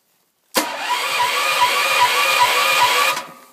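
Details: Brand-new Gen7000LP generator with a new battery and full oil. A steady starter whir dips rhythmically about 2.5 times a second but never catches; it cranks but won't start.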